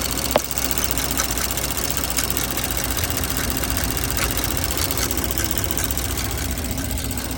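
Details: 2024 Porsche Macan S idling: fast, light ticking over the steady hum, appearing after spark plug replacement.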